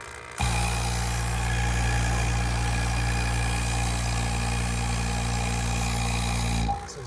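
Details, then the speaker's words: Robinair SPX CoolTech 15600 6 CFM two-stage vacuum pump, restored; running with valve closed: steady motor hum with low rapid chug about three per second as excess oil spits from the exhaust. Owner likely overfilled the oil. "if you close the valve of course um the whole system is in a close loop nothing comes out but probably put in too much oil so it's like stilling out but anyway"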